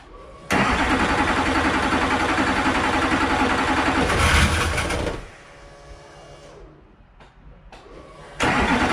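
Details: Duramax diesel race truck, first start after engine rebuild with EGR installed: fires straight up into a strong, even idle with no misfire or rattle, drops back, then lights off cleanly again; normal start and idle.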